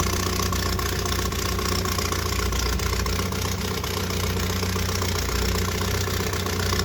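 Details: 1978 Triumph Spitfire 1500 at idle after a pop when revved following a long idle: loud chuffing, tractor-like bark with fast uneven pulses; owner suspects an exhaust leak, unconfirmed. Car had been jump-started after two weeks sitting.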